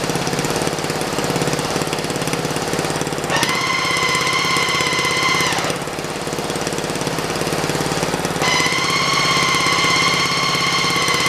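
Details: Racing lawn mower test fire in first gear: the engine runs steady while a loud high whine switches on and off with drive; the transmission is heavily overdriven versus its factory underdriven setup, so it is noisy but not bound up.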